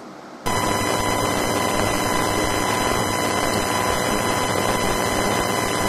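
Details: Main Windows 10 PC audio through a home-built amplifier, heard on headphones not speakers; constant hiss with steady high whine, crackle and low buzz, present whatever amplifier is used; owner first suspected a ground loop, cause unknown.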